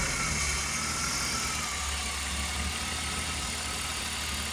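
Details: Engine at idle after 3 quarts of oil were added: steady idle with a light, fairly quick tick, about four per second; owner suspects lifter tick.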